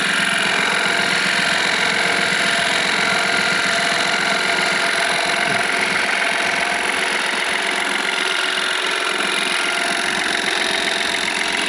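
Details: Engine started, heard from the engine room: fast regular ticking, about 220 per minute, over a steady idle; not yet confirmed whether it comes from inside or outside the engine; ticking noise at idle.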